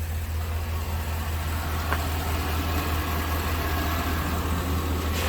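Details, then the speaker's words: 2004 Chevrolet Silverado 2500HD with rodent-chewed shorted wiring: smooth, steady low idle, noticeably slower, after plugging the throttle body back into the factory box; the other box was shorted, fix restored throttle and normal running. "Sounds like it's idling a lot slower now."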